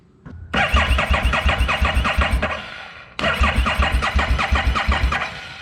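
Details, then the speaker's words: 2017 Harley-Davidson Street XG750 fuel-injected liquid-cooled engine on a test stand after shipping damage: two cranking tries of about 2.5 s each that never catch; no spark because the kill switch was not energized. "Nothing. Found the missing link. We had the ignition on, but we also had a kill switch here that was not energized."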